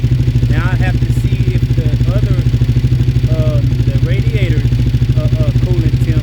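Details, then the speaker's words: V-twin motorbike with Yoshimura exhaust after coolant flush, temp sensor replacement and oil change, warming to about 105; even, steady deep lumpy idle, no top-end tapping or rattle, much quieter than before, no smoke now, healthy. "It seems like it's running good right now, too. Those Yoshi exhaust sound good."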